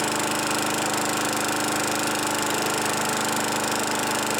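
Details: Craftsman Eager 1 mower 917.383241, salvaged from the trash; E3 spark plug and a new air filter assembly fitted, primer bulb works, needs only hardware tightening. On a tripod it runs at a steady, even buzz with no misses, surging or knocks: normal running.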